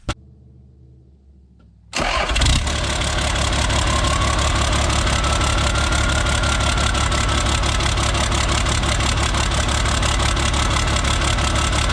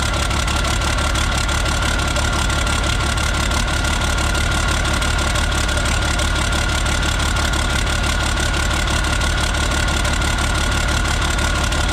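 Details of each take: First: Isuzu cab-over diesel, cold, exhaust straight-piped from the turbo, started before the injection-pump harness is plugged in (it runs rough and smokes when plugged in). Catches at once and settles into a steady, even idle; normal cold start. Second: Isuzu cab-over diesel, cold start, straight pipe off turbo: uneven clattering lumpy idle with loose exhaust noise; runs rough and smokes only when a certain wiring harness is plugged in, smooth when unplugged, cause unknown.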